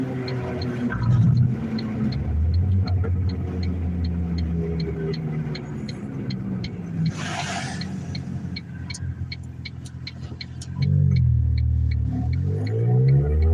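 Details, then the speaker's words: Vehicle coasting in neutral: rumble with fast steady ticking near four per second over road noise, attributed to a damaged rear wheel bearing, not confirmed. "I'm in neutral now. All that noise you hear is the wheel bearing."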